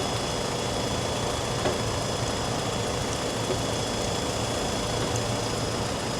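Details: 1997 Toyota 4Runner idling after epoxying the failed aftermarket gasket: steady, even idle with a smooth low hum and no whistle or hiss; vacuum leak sealed.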